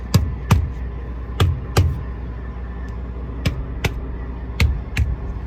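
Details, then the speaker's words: Trailer tire struck with a gloved hand gives a dull, flat thud with no bounce, unlike the lighter sound of a good tire; the tire is badly underinflated and squishy. "So as you hear, this one right here is a flat tire. This one's really flat."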